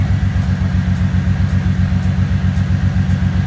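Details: 2005 Bentley Continental GT engine restarted after replacing two broken 10A fuses. Deep idle with a steady lumpy pulse, about four beats a second, from a misfire. A cylinder 3 injection circuit fault code remains.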